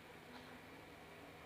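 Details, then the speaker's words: DIY speaker-protection delay relay circuit (TIP41/TIP31, two 10k resistors, 47µF 50V capacitor) at power-on: quiet hum, then one crisp click after a 2-3 second delay as relay pulls in, preventing speaker thump; normal. "Nah itu ada jeda ya teman-teman ya. Ada jeda sekitar 2 detik sampai 3 detik ya, baru nyala untuk relaynya."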